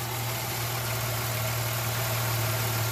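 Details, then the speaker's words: 2006–07 Jeep Liberty with random and cylinder 1 misfire codes, after swapping coils 1 and 3 and wiping water off the coil: steady, smooth idle with no stumbles, no misfire code returning; normal idle. "pretty smooth maybe when when I took a rag and I wiped the uh coril off a little bit of water that was there could have been a problem"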